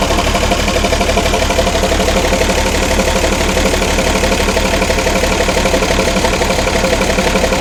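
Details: Ex-army International ACCO 6x6 with a Perkins 6354 diesel, idling after bleeding air from the fuel lines: even clatter at about four beats a second that stays steady with no misses or extra knocks. Healthy idle.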